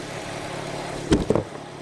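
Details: 2016 Honda HR-V with a brand new engine, mass air flow sensor disconnected so check engine light on: quiet even idle with a soft steady rumble and a couple of handling clunks; engine healthy, before relay-clicking ground issue is reproduced.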